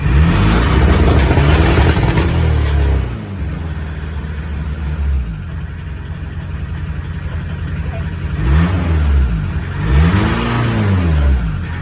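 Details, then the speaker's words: Smoky diesel VW Golf MK2 GTD after EGR and turbo cleaner: diesel clatter swells through repeated revs with a faint whistle climbing alongside each rise; the turbo now spools, but smoke is worse. "Good news is the turbo is now spooling. Hooray. Bad news is she's extra smoky. What's going on there? But yeah, at least you can hear the turbo now spooling up over the noise of that tank of an engine."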